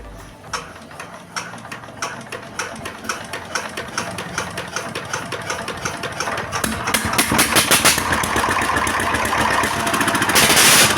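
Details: S1100 16 HP single-cylinder diesel that had no power and oil blowing from the breather, test-run after a new cover was fitted: even firing beats about four a second quicken smoothly. Normal running, and oil pressure is restored.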